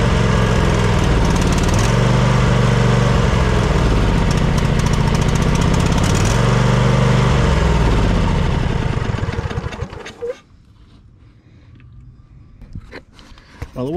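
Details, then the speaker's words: Snapper LT200 riding mower that cranks but won't start: the engine thumps evenly for about eight seconds, then fades and dies. It was running only on fuel left in a filter stuck into the carburetor. The weak fuel pump causes starvation, and the gas contains debris. "it wasn't pumping all that great, and the reason the engine was running is because I had this fuel line with this fuel filter poking into the carburetor, and it was running off the fuel that was in that fuel filter."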